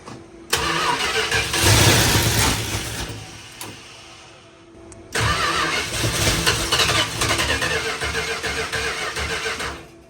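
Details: 1973 Dodge Challenger being revived: two bursts of steady starter cranking at about two and a half turns per second with no catch.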